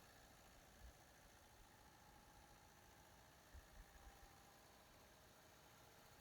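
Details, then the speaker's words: MEP-003A 10 kW air-cooled diesel military generator, started without glow plugs: steady even diesel drone, low rumble and faint hum, no knocks or misses; quick start, normal running. "i wasn't expecting it to start that quick"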